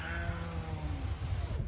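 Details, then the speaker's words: 2010 Chrysler Sebring after window regulator replacement, ignition in position two: smooth, steady motor whir at even pitch as the glass travels, ending in a soft stop; power window works normally. "check our back window see if it works okay it works all right let's try this work okay"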